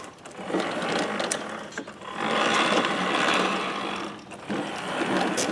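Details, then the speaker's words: Toro Recycler model 20332 self-propel mower, after transmission gearbox repair, rolling before start: light, even gear ticking and whirring, no grinding or clunking; previous unusual noises gone, drive working normally. "It's rolling fine. I don't think it's making those unusual noises that we had before."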